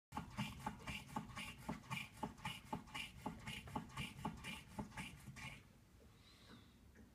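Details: BMW E39 rocked by hand: sharp regular clunks about twice a second from the suspension, then quiet; owner suspects worn Factor control arms and maybe a bad Bilstein strut.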